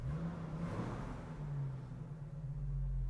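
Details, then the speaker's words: 1994 Jeep YJ 4.0L inline six after head gasket job, previously running rough, backing out of the shop: low, even drone pulling steadily in reverse, no miss or clatter; running normally. "so good sounds like my old jeep the good old inline six"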